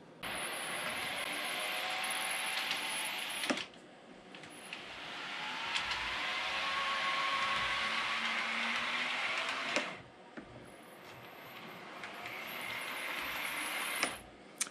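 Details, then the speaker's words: Realtrack Class 156 OO model train, during running-in: high wavering squeal only in one direction, traced to one bogie side; suspected wheelset issue possibly needing lubrication. "So you can hear there, it definitely has a squeak, and I've narrowed the squeak down to this side."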